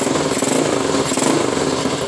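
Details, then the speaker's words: Skua 150 motorcycle idling right after valve adjustment: small single with busy, even patter, normal wear noise but no valve tick; running perfect. "tiene ruido válvula nada así que está perfecto"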